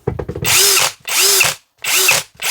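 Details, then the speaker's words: New cordless drill/driver: short bursts of high whine, each cut off sharply with a brief rattle; normal clatter from the quick-stop electric brake, caused by play in the chuck and gearbox gears. "Часто клієнти запитують, чому буває отакий тириск в шуруповерті"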